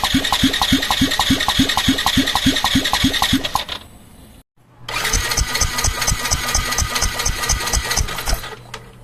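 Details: Yamaha Tricity 125 (SEC1J) scooter, two cranking runs with quick light even chuffs about three per second, spinning too freely and never catching; heavy blow-by, piston and cylinder found badly worn, low compression prevents starting.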